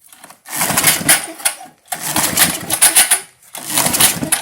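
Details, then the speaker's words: 1978 Tecumseh LAV50 5HP engine (Craftsman-branded), bought for $10, with carb cleaner sprayed in: three rough pull-start bursts that never catch. A dirty choke flap is moving and trying to stay slightly choked; cause not confirmed. "Hold on. It's trying, I hear it. Why is that choke flap kind of moving? Oh, I see. It's a little dirty. Just trying to stay choked a little."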